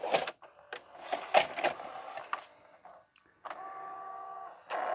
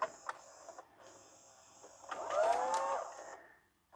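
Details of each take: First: E-waste LG/NEC VCR, tape inserted and rewind selected: irregular clicks and clatter, then a steady motor whine for several seconds cutting off abruptly; stuck in rewind without threading tape around the head, dirty mode switch. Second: LG/NEC VCR after mode switch cleaning: quiet room, then a short smooth motor whirr and soft mechanical clicks as the tape ejects cleanly on command; repair confirmed.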